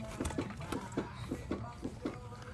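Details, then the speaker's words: 2005-2014 Ford Mustang with vibration and airplane-like hum while driving: rocking the raised tire gives loose, hollow clunks about three a second, a worn wheel hub bearing with play; other side doesn't do it. "the way that you can tell that which side of the car it's on is you can push on the tire and you're gonna hear a loose noise which you shouldn't"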